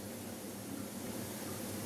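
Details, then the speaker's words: Shure UGX9 wireless microphone receiver with a background-noise fault: steady even hiss with a faint low hum on the audio output while the mic is off. "Bây giờ mình sôi lên này Bây giờ sôi này các bạn nghe tiếng sôi không Xì xì đó"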